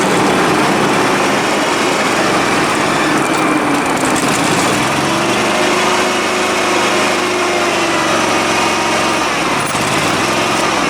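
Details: Dixon 72-inch mower with 1200 hours, after deck pulley repair and jumping a coil to cure an intermittent misfire: steady, even small-engine drone with no stumbles or surges; running normally.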